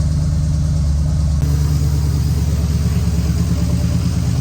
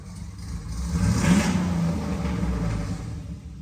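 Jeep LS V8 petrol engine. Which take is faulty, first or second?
first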